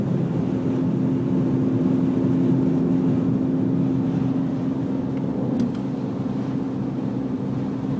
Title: Bmw e46 330 whine noise